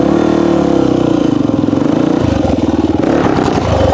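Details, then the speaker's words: 1998 Honda XR400 single, worn backup bike being prepped for desert racing, first run: thump climbs on throttle but stumbles and hesitates mid-rise, bogging; owner suspects not enough fuel, really lean, as it comes onto the main jet; jets to be checked. "y sounds like to me right when it wants to get on the main jet it's not getting enough gas"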